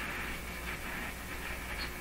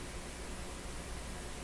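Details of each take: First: Hallicrafters S-40A shortwave receiver with no antenna, only a wire loop shorting the antenna input, during power line filter capacitor experiments; steady hiss and static with drifting whistles, likely interference signals. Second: Hallicrafters S-40A shortwave receiver, no antenna connected, with power line filter capacitor bonded to chassis: only a soft, even hiss at low volume with no buzz or crackle; receiver quiet and clean.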